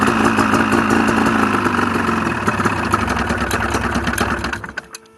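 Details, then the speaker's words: Ski-Doo two-stroke, cold day, crank seal test: idles steadily with a rapid putter, then sags and dies within a second when the magneto-side intake is covered by palm; no crankcase air leak on that side. "as you can see it's running pretty well idling fine"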